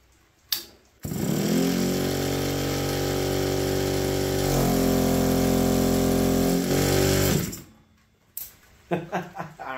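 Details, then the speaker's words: APC mini chopper starter-generator spun by a charged Power Wheels battery wired to its terminals: smooth, steady electric hum at even pitch while cranking the engine; electric start works normally. "it's amazing oh the electric start Works did some research this is a motor and Generator it acts as a starter kind of like on a golf cart"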